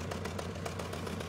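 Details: 1994 Honda Accord after head gasket replacement, head milled, new timing and balance belts and NGK plugs: rough idle with a regular stumble. Cylinder 4 misfires and its plug is dry; no check engine light.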